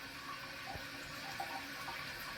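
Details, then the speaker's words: Toilet with a Korky Universal Ultra 2" flapper, leaking for months: water keeps hissing and trickling into the bowl while the tank fills very slowly; the chain is caught under the flapper, holding it open. "A lot of water seems to be coming out from the bowl. And this is filling very slowly. And I noticed that this chain is actually stuck under the under it's stuck underneath the flapper."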